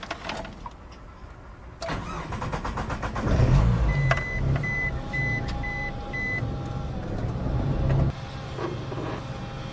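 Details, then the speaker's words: Russian: GAZelle van with Chrysler engine that lost power: cranks and starts, with a loud thin steady whine from the fuel pump under the idle and five quick beeps; the pump was to be replaced. "привет парни пропала тяга на газели мотор chrysler и сильно зажужжал топливный насос так что сегодня будем заниматься его заменой сейчас заведу послушайте как он жужжит"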